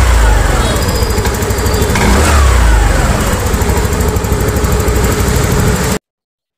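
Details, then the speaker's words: TVS Jupiter 110cc BS6 scooter: lumpy running with uneven beats near three per second, then it abruptly dies, cutting out while moving and when hot; wiring, earth and battery checked fine, and the fault was the spark plug. "இந்த மாதிரி ரன்னிங்ல போகும்போது நிறைய இந்த கட்ட app ஆகுது. போயிட்டே move பண்ணும்போது இப்போ இந்த மாதிரி ஆப் ஆயிடுச்சு. இது என்ன கம்ப்ளைன்ட்ு ஒன்னொன்னா செக் பண்ணிட்டே இருந்தா கடைசில பார்த்தா நம்ம வந்த ஸ்பார்க் பிளேக் தான்."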